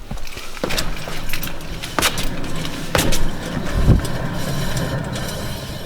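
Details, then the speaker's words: Rear wheel bearing on a 2013-17 Honda Accord Sport, car raised slightly off the ground, wheel turning: low gritty rumble with irregular scraping clicks, bearing balls audibly moving; humming noticed while driving, confirmed very bad, needs replacement. "I'm not sure if you guys are able to catch that or not but you can actually hear the bearing balls moving around in there [Music] so that confirms that this wheel bearing is just very very bad and it needs to be replaced tonight"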